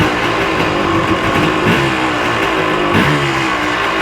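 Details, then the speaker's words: 1986 Yamaha Tri-Z YTZ250 two-stroke, just started and choke off. Crisp, even buzz with steady firing and no misses or rattles. Normal running. "I'm really impressed at how easily this thing starts up."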